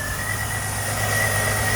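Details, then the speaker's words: 2005 Jeep Liberty 3.7 L with a no-crank no-start, started by supplying power by hand while cranking since the ignition switch gives no output; steady even idle with smooth low hum, no misses or knocks: normal idle. "and what i did is while i'm cranking i add the power here and the car is start to run which mean that we don't have no power coming out from the ignition switch and right now as you see my car is running"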